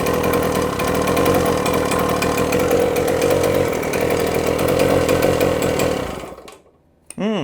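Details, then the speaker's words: 48-year-old Yamaha DT100 100cc two-stroke on the bench with a restricted exhaust: rapid, uneven buzz wavering in pitch, then fading and dying out. Exhaust blows from the base gasket. Main seal ruled out; base gasket suspected. "I'm thinking it could be the base gasket, because that base gasket is it's not very good, obviously, because you can hear the exhaust coming out of it."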